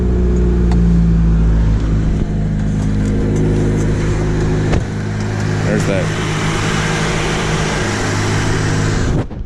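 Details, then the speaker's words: Supercharged Pontiac Vibe at about 200k miles, after new tensioner pulley, under light throttle: light irregular clacking about three a second over the engine drone, attributed to the supercharger idler pulley, cause unclear. "so that noise you just heard again the clacking that is the supercharger idler pulley still i don't know why it does it but"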